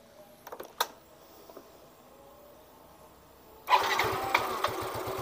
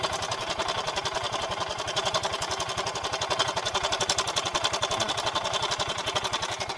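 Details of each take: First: Yamaha Mio M3 125 scooter that ran rough, after idle (stasioner) part replaced and manifold tightened: a few clicks, pause, then engine fires and settles into smooth, even idle without rough knocking; normal start and idle. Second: Yamaha Mio M3 125 scooter, rough-sounding engine, CVT checked fine: rough idle with fast uneven metallic "ceklek" rattle; tensioner found soft, slack cam chain causing the roughness.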